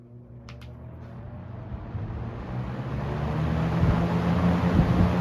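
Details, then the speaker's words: Restored late-1970s Toastmaster 7324 fan switched to high: smooth, even hum building as the wide blades come up to speed, no rattle, tick or scrape; owner notes an odd blade noise on spin-down; normal running on high. "So that's why I'm gonna try and run it overnight tonight, but without blabbing too long, let's turn the fan on high."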